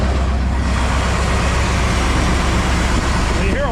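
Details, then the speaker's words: 2000 Chevrolet Silverado K2500 crew cab, worn Vortec 350 V8 at about 160,000 miles, idling: fast steady ticking and knocking over loud fan roar; owner unsure if lifter or piston, oil pressure 40 lbs; engine to be replaced with 6.0 LS. "a whole lot of fan and a whole lot of ticky ticky and knocky knocky. So, not good."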